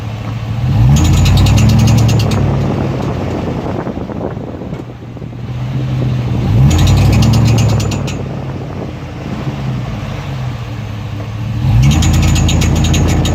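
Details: 2003 Chevy Tahoe: the engine revs up three times, and each time a fast, high chirping rides over the rising roar, then fades as revs drop. Chirping on acceleration, source undetermined.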